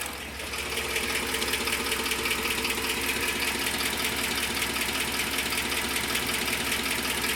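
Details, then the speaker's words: 2010 Ford F-150 4.6L 3-valve V8 idling steadily with a light, fast ticking/clicking, about two to three ticks a second, over the engine hum; cause unknown — engine ticking at idle. "I'm trying to figure out what this ticking, clicking noise is. If you guys have any ideas, let me know."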